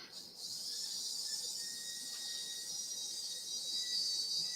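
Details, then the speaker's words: Tyco train tender drive motor bench-tested on 12 volts before reassembly gives a thin, steady high-pitched buzz with no stutter or grinding; the motor is good. "I don't know if we can hear that, but that thing is buzzing along just fine. So we know that we have a good motor."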